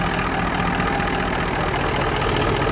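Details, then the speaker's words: Rare Detroit Diesel-style semi truck with mechanical injectors, revived after sitting: steady, even low idle beat with no skipped pulses once the injectors worked in, still slightly smoky but improving; normal idle. "No, dude. It's smooth. Once them injectors got used to being worked up and down that it's smooth ride up."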